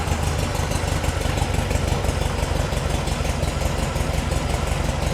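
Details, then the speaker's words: VW-based Porsche 356 Speedster kit car, cold start after heater warming, oil pressure settling back to 40 PSI: fast busy air-cooled chatter holding steady idle, no misses or heavy knocks; normal cold idle. "She's coming down. Back to 40, and this is a cold start."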